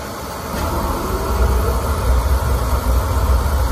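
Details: Oil-fired boiler that would not light because clogged filters restricted the oil, after all filters were replaced: a steady low burner roar over an even fan hum with no surging or puffing, indicating normal operation.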